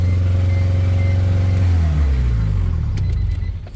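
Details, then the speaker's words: DA9 Acura Integra turbo, first start, CV axles removed. Loud, deep, rough idle that fades at shutoff, plus heavy smoke. Owner suspects a ripped throttle body gasket leak and oil burning off from the header install. "Oh, yeah, this thing has a leak somewhere. I think the throttle body gasket might be ripped. [ __ ] is loud, and it's smoking like crazy."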